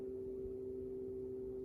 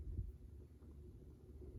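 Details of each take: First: Tower fan running from the AC outlet of a Mophie Powerstation Go Rugged: steady, fixed-pitch midrange hum with the fan barely audible underneath; the fan is likely too big for this device, with cause of hum unconfirmed. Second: Tower fan plugged into wall outlet before testing on Mophie Powerstation Go Rugged AC: soft airy hum swelling as blower spins up, a few handling clicks; quiet, normal running.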